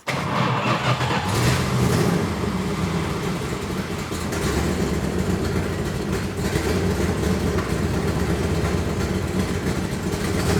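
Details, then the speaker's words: 1971 Plymouth Road Runner V8, parked 35 years, new Demon carburetor, choke heat riser removed: lumpy, uneven, surging idle that won't settle; rough running, owner suspects ignition timing. "still doesn't run very good does it"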